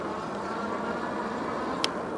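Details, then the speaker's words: Engwe E26 e-bike (26-inch wheel, high step) on the road after fine-tuning to remove rattles, pedal assist 3, half-twist throttle: only soft tyre and wind hiss with one faint tick, no rattles; much quieter, normal ride. "Oh yeah, she's much quieter now. Yeah, this is the way it's supposed to be."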